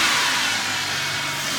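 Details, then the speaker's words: Carbureted BMW E30 after the intake was removed: crisp, even revs with clean throttle pickup and no stumble. Healthy revving, best it has ever run. "never had that good throttle response carburetors are weird do you hear this thing purring right now"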